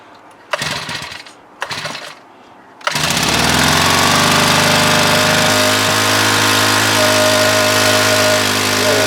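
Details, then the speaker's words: Honda WX10 water pump, about 10 years old, engine primed with gasoline: after a few tries it catches and settles into a steady even four-stroke drone, running properly. "there it goes well that shouldn't take too long to fill that up"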